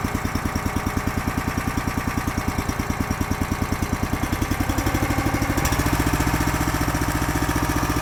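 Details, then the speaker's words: Honda GX240 small engine with Keihin carburetor on a hydraulic power unit (auger, fold-unfold), seldom used, after carb work for lean surge: even, steady putter, no surging or hunting; sounds normal, running it out of fuel. "I'm not gonna let the video run the whole time, but that sounds normal to me."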